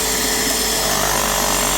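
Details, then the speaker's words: Graco airless sprayer about 10 years old, after storage, in prime mode: steady, even buzzing pump run without drawing or shutting off because debris keeps the spring-loaded valve balls from sealing; fixed by disassembling and cleaning. "And if they get a little debris in there, they can't move. So they can't seal off. So it'll just keep running and running."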